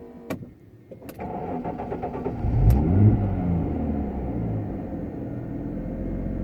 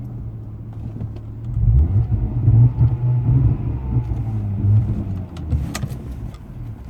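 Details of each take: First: 1997 Jaguar XJ6 X300 3.2, 5-speed manual, restarted warm after crankshaft position sensor replacement and a test drive. Brief crank, catches within about a second, flares and settles to a smooth, even idle. Normal start and idle. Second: 1997 Jaguar XJ6 X300 XJ Sport 3.2 5-speed manual on the road with no acceleration: engine drone surges and sags unevenly, then fades as it dies; owner concluded a faulty crankshaft position sensor.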